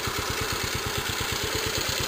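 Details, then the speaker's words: Warmed-up, restored 1946 J.A.P Model 5 single-cylinder engine sped up, set to run slightly fast so it slows to a good speed under load such as a pump: a crisp, regular, even bark. Normal running. "Like I said, it was set to run just a little fast, so that once it's loaded, running a little pump or something, it just slows down to a good speed."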